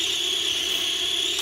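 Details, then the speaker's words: Modovolo Lift drone with P and I gains raised, tuned extremely tight; steady high-pitched motor whine with faint wavering buzz, an audible oscillation not visible in flight, suspected from D term/feed-forward integrating noise. "but you can hear it where some combination of you know pitching forward left to right and yaw causes it to have like an audible oscillation but you can't really see it visually oscillating"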